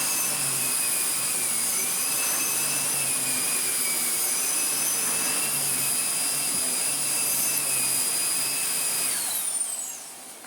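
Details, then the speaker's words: Restored Miele Revolution PowerPlus 5000 S5980 vacuum with powerhead running: steady clean high-pitched motor whine, even brush-roll hum, no rattles or surging, then smooth spin-down; healthy. "That works really, really well indeed."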